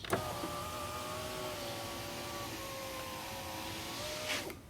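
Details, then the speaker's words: 2001 Volvo S60 2.3 driver's window after replacing the window regulator sliding blocks (the window used to fall): smooth, steady motor whir for about four seconds ending in a soft stop, with no popping or binding, so the window works normally. "I think this is a fix now the window goes up and down without any popping noise without any restrictions"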